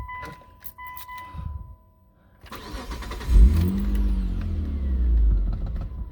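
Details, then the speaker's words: 2003 Mitsubishi Eclipse GTS started in neutral right after replacing the mass airflow sensor for code P0102 (previously surged and lunged as if stalling); after a chime it cranks, catches, revs smoothly and settles without surging or dying: normal start and rev. "it definitely feels a lot better so far."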